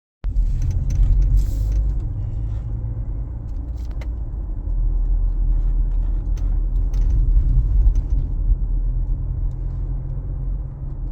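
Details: Mazda CX-5 in motion: sharp, scattered windshield-area clicks and rattles over heavy road rumble, only on hot sunny days and worse on uneven roads; thermal-expansion play between the plastic windshield alignment pins and the metal frame.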